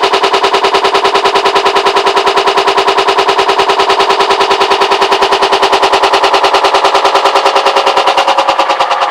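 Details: Hotpoint WMAL641 washing machine: fast, very even loud rattling bangs, two or three per second, steady throughout; cause not evident.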